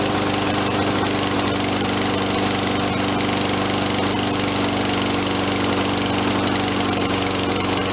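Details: Toro 22-inch Recycler self-propelled mower, 163 cc 7.25 hp, low hours, no-start after sitting; after fresh fuel and carburetor cleaning: steady smooth single-cylinder putter, constant hum, no surging or hunting; normal idle.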